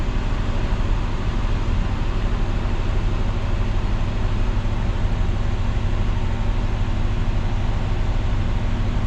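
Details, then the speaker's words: 1966 Ford Galaxie 500 352 4V V8 warming up after a cold start following three months of sitting, parking brake set, choke still on: a steady, slightly raised idle with an even low rumble and no misfires or rattles. Normal cold fast idle. "Oh, the cold light just blinked. There it goes, out now. And I doubt the choke will come off yet."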